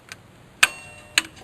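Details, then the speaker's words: Taco-controlled heating system, thermostat jumped with a jumper wire: two sharp metallic clicks about half a second apart in a quiet room as the relay pulls in to start the circulator pump; normal relay click at startup. "the relay fires up the circulating pump and then uh let's see thermostat safety switches circulator the circulation pump runs for a few minutes or a few seconds or a minute and then my heating elements should energize"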